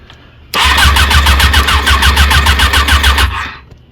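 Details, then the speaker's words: 1994 Suzuki RF600R during tow-yard restoration, after fixing a loose wire connection and adding a little fuel: fast, even cranking about three and a half turns a second that never catches; the battery is dead. "Now this thing really spins over. Yeah, battery's dead though."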